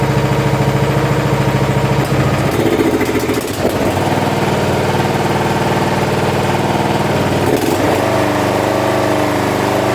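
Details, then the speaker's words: Curb-find John Deere SX75 riding mower engine, after sitting: runs steadily through a couple of speed changes, no misses or knocks, smokes a little (owner unsure if from sitting); healthy running, suspected electrical issue in switch or starter solenoid. "well it actually starts and runs pretty good smokes a little bit"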